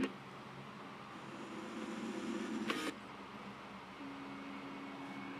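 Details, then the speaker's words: CD player quiet disc whirring, then a short scratchy burst as spinning drops away; it randomly stops playing, sometimes when skipping songs, owner suspects a logic glitch. "see look at that it just totally just stops working that's what it does every once in a while when you start skipping songs it has a little logic glitc"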